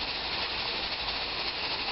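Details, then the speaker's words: Pressure canner after a 90-minute run canning ground beef, heat turned off and coming down off pressure: a steady, even hiss of steam venting with no sputter or pulsing. This is normal venting. "You want to wait until the canner is completely finished venting. If the plate stops moving, you're going to continue to hear a hissing sound of the pressure escaping from the steam and pressure escaping from the pot."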